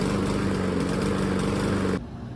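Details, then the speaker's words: Honda lawn mower engine idling with a slightly uneven, wavering beat, a rough idle from a worn spark plug about a year old; air filter clean; fixed by replacing the spark plug. "All right, we have an inconsistent idle."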